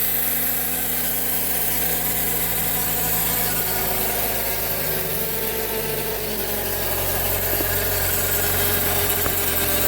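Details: Suzuki Ignis, cold engine idling: steady buzzing whine from the automatic transmission, solved by replacing the transmission filter and fluid.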